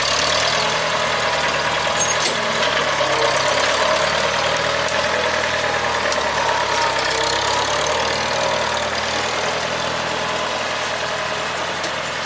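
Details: 1975 International Harvester 574 four-cylinder under way after carb main jet set to 0.055: smooth, even beat with no misses or stumbles; owner reports it running good.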